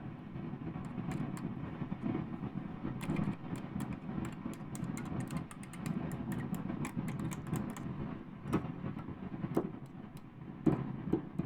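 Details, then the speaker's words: Pioneer SX-838 receiver with noise only on the phono inputs. Steady hiss with sharp crackles and bursts each time the preamplifier board is tapped, revealing a microphonic transistor, later replaced with a 2N3906. "ah there's my noisy boy right there that's Noisy Boy it's what we call a microphonic transistor"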